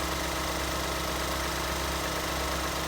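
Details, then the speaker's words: 2014 Ford Escape 1.6L solid-lifter engine (no hydraulic lifters, valve lash checked) idling evenly after head gasket replacement; light busy top-end ticking is normal valve noise, engine healthy, normal idle. "Sounds good. Little solid lifter motor. You hear the little valve mechanisms working in there because there's no hydraulic lifters on this motor."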